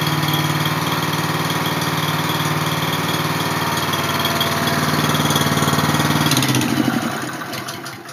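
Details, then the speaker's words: Honda small single-cylinder engine, started after sitting two days: steady, even beat with no knocks or misses, then shut down; normal running. "I can't believe that thing just started up. I haven't started that thing up in like 2 days. That's pretty good."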